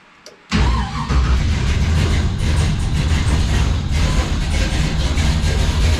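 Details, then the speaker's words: LS1 V8 in a 1951 Chevrolet custom, first start after re-pinning miswired coil sub-harnesses, Holley Terminator X Max startup: fires up and starts idling nicely, then bogs down and chokes with a wavering lumpy idle; suspected over-fueling, heavy black smoke, cause unknown. "It kind of fired up and actually was starting to idle quite nice and then it started doing that started like bogging down and choking out sort of thing."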